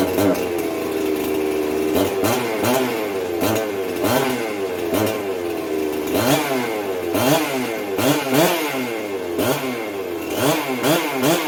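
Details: Jonsered 670 chainsaw started right after fitting a new compression release (272 plastic fitted): crisp two-stroke snarl with repeated quick throttle blips rising and falling cleanly; revs out and runs fine.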